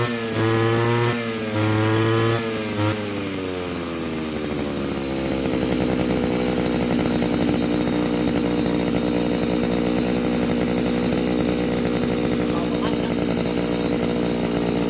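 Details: Mitsubishi two-stroke brush cutter engine after carburetor cleaning and refuelling: picks up after a few throttle blips and settles into a steady, even buzz with no stumbling; running properly.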